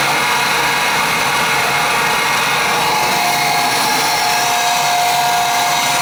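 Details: Oil-fired boiler burner that wouldn't fire up: steady raspy whir with faint wavering whine, no strong spin-up; technician says pump could be bad but suspects burner motor not spinning up enough.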